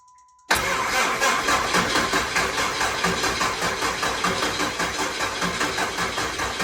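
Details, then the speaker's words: Truck being started after adding transmission fluid: cranking pulses about two and a half per second with a harsh, rattly whir over them; diagnosis found the starter bad, a worn starter motor. "all right so after a little diagnosis we've determined that this starter is uh not good it uh that was that noise you guys were heari"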